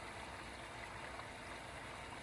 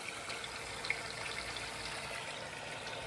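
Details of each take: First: MKV Toyota Supra interchiller coolant loop after topping up with HT12 and distilled water mix, pump running while filling: quiet, steady, smooth rushing flow with no bubbling or splashing, air bled out, normal coolant flow. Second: MKV Toyota Supra interchiller coolant loop, pump just switched on after refilling, no leaks: uneven gurgling, trickling and splashes instead of smooth fluid rush; lots of air trapped, loop likely not completely full.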